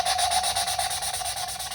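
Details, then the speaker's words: 5.7 Hemi cylinder head, valve hand-lapped with a suction-cup stick; quick, even, fairly fine gritty scraping strokes, sound getting finer as the seat beds in; valve lapping, seat bedding in. "See how it got a little bit finer there? That's what you're looking for."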